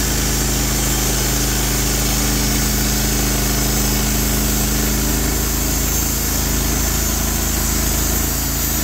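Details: Norwood HD36 v2 bandsaw mill with new roller guides replacing ceramics, slabbing big black oak: engine holds steady even drone under load, band cuts smoothly without chatter or bogging; cut exceptionally smooth, normal.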